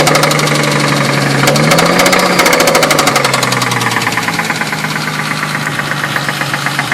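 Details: 2000 Ford Mustang, warm idle after 5-10 minutes of running, honey added to see if it helps: steady, evenly spaced rhythmic knocking over the engine; owner suspects rod knock, unconfirmed.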